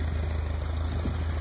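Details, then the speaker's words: 1985 Toyota Celica GT survivor with 108k original miles: deep, steady low rumble with an even pulse and no knocks, misses or rattles; healthy smooth idle, exhaust sounds good. "And there's the sun damage, but you can hear it runs real good."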